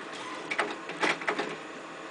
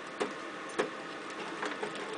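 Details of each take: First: Compumotor CT series stepper drive on a 500 mA supply with the jumper at the first position: busy whirring buzz with louder stepping pulses; the motor can't be stopped by hand and is still cold, running normally. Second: Compumotor CT series stepper motor drive, jumper in the third position: the motor hum is broken by irregular sharp clicks as it slips steps when held by hand, because the drive current is set too low; it stalls easily.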